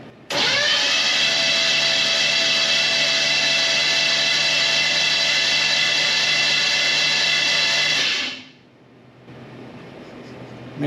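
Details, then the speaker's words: '57 Chevy Bel Air restomod small-block 305, first crank, oil pressure building: steady, labored starter drone for eight seconds with no firing, turning slowly; starter struggling, owner suspects worn out. "excuse me I'm Gonna Keep cranking for too long but it sounds like that starter is struggling but we're getting oil pressure"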